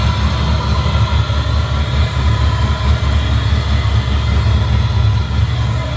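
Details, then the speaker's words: Lopey V8 idle from an LS1-swapped Honda S2000 with a Texas Speed MS3 camshaft: deep V8 idle with a choppy, loping exhaust beat from the aggressive cam, otherwise running fine. "it's got a Texas speed ms3 cam so it's it's got everything yeah it's got a little harsh man a little bit a little aggressive"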